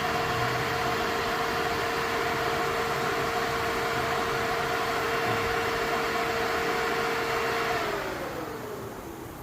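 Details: Radiator fan on a car after carburettor-to-EFI conversion, switched on through the standalone ECU when temperature reads high: steady airy rush with an even mid-pitched tone that winds down at the end; the fan spins smoothly and sounds healthy.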